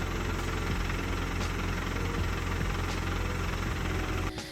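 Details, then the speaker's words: 2023 Volkswagen GTI 40th Anniversary six-speed manual, under 700 miles: loose, irregular low rattle about three knocks a second over the engine note, clutch chatter; reportedly most owners needed the entire clutch assembly replaced. "well today we're actually gonna be taking it back to the dealership because it has one nasty problem and that's the clutch chatter that it has"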